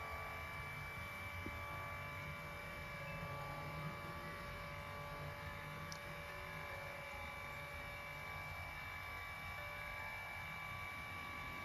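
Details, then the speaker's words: Lourdes massage cushion L (AX-HL168) after repair: low even hum with faint steady whir, no knocking or rattle; worn roller had lifted and resonated under pressure, fixed by adjusting roller shaft angle to fill the worn gap; grease didn't help. "音が消えました。ここを押さえることによってこのローラーが浮いたんでしょうね。浮いて響いて音が出たという。治りました。"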